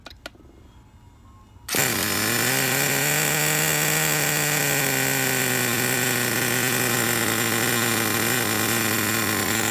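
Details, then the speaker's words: Vintage 1999 Traxxas T-Maxx nitro engine firing after two seconds into a high raspy buzz that creeps up, wavers and shuts down; a lean surge from a crankcase air leak at the front crankshaft bearing, leaking unburned fuel. "well that explains the situation that explains why it seems to speed up and then just shut down because we have ourselves a massive leak it looks like right over there from the crankshaft bearing"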